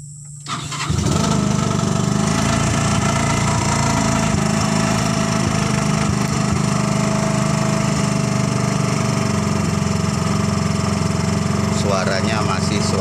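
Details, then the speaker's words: Ex-angkot Suzuki Carry 1.0 pickup converted to a Thunder 125 motorcycle engine with a plain pipe exhaust, started for warm-up: a brief crank, then it catches at once into a steady, even putter with a raw pipe bark; healthy idle. "mesin motor karena memang pakai mesin motor dan knalpotnya hanya pipa lah teman-teman, bukan knalpot mobil."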